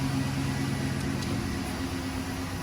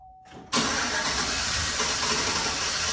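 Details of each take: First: 2011 GMC Sierra V8, after new NGK spark plugs and wires and several restarts: steady even idle with no misses or knocks; normal idle, check engine light off. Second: 2011 GMC Sierra V8 before spark plug replacement: brief crank, catches hard and runs loud, ragged and struggling; rough running.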